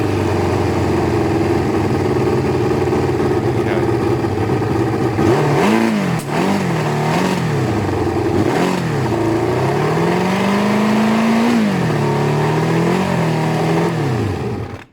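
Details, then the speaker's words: Bike back to one hole again: idle wanders and dips, slightly lumpy; owner thinks air-fuel screws need tweaking, then sees fuel leaking as the second float isn't sealing, and says the carbs need a proper rebuild. "the idle is a tiny bit lumpy for me. Now I think the air fuel screw mixture needs tweaking."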